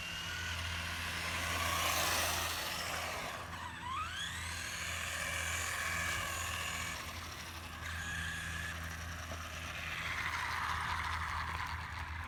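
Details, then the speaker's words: Traxxas Slash 4x4 RC car driving just after a centre diff was installed: steady low whir with a rising and falling whine; owner unsure whether the new diff is the cause. "so the car is making a funny noise it's a Slash 4x4 I have no idea what noise it's making"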